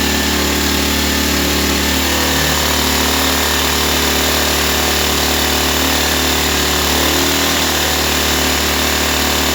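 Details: Ryobi 1200 (1.2 kVA) single-cylinder generator, 3 hours use, stored 3 years, previously only ran on full choke; after carburetor refit, air cleaner off, on choke: steady even buzz at governed speed, no misses or surging; normal running.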